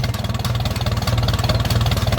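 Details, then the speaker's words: Ferguson tractor with original unpainted patina, throttled slow right down; slow, even four-cylinder chuff, each firing pulse distinct and steady, no misses or knocks; will idle like that all day; normal slow idle. "you'll just sit here and idle like that all day this is a great engine in these fergusons"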